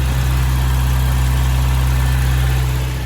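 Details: 1992 Toyota Pickup after the charcoal canister delete and vacuum line rework, now warmed up. Low, smooth, even idle with no misses or knocks: normal warm idle.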